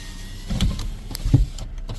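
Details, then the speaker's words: 2017 Toyota Corolla, key-start, during a pre-purchase inspection: power windows (driver side auto) run up and down with a smooth, even whir and clean stops, no grinding or clicking; window operation sounds normal. "only the driver side's Auto but I like to listen too do I hear anything unusual when the windows going up and down no really sounds good"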